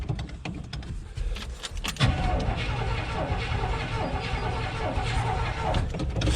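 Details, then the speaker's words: 1972 GMC 1-ton ramp truck, 454 Chevy big-block, TH400 automatic, sitting about 27 years, cold start after three pumps: brief sputtering crank, catches around two seconds, runs rough and unsettled; reluctant hard cold start. "Probably gonna have to give her a few more, huh? It's not happy."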